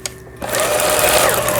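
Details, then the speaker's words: Pfaff Tipmatic 6120 German sewing machine, about 25 years old, after first repair: brief smooth steady whirr of stitching, no clatter; running healthy. "폴리를 돌려서 위에는 정상적으로 박음질이 돼서 나오는 걸 보실 수가 있어요. 요 밑에도 됐습니다. 바느질 땀수 아주 고르게 박히고 있네요."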